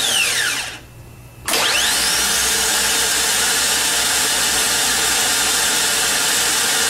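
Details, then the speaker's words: Harley-Davidson trike reverse motor bench-tested on a battery: brief click as the Bendix extends and turns counterclockwise facing the drive end, then a steady, even high whir of slowly spinning gears with no knocking or grinding. Working properly. "here's what it looks like and sounds like when everything is working properly you'll see the Bendix come out and turn in a counterclockwise fashion facing the drive end as the arrow indicates and you'll be able to hear the gears spinning and you'll notice the slow speed of the gear"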